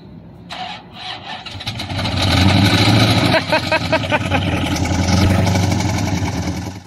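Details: V8 cranks and catches, then runs rough with an uneven repeating knock; mechanic later found engine oil in the radiator and coolant in cylinders 3, 5 and 7.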